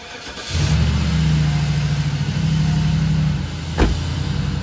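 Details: 2001 Cadillac DeVille after ignition coil and spark plug replacement for P0351 and P0303 codes: brief crank, clean catch, steady even idle with no misfire stumble; runs normally, some smoke from oil on plugs dissipating.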